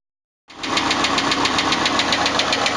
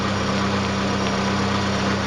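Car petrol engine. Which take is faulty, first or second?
first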